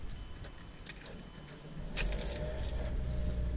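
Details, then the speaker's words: 2007 Mazda 3 with a check engine light for code P0441 (evap), just after replacing the purge solenoid: keys rattle, the engine catches and settles into a steady, even idle with no stumble or hiss, no vacuum leak. "but mainly just wanted to make sure the engine started it's not running funny we don't have a vacuum leak so we are good"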